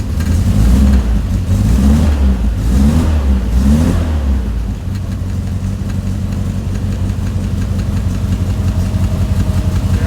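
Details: 1967 Morgan Plus 4 Drop Head Coupe just started after years unused, running old fuel; revs blip up and fall back, then lumpy unsteady idle; rough running.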